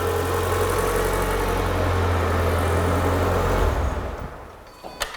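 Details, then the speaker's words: Renault Clio 182 project car, after a service, checking for a rattle: startup gives a steady, even low idle hum with no rattle or knock, then smooth shutdown; rattle appears gone. "that sounds mint"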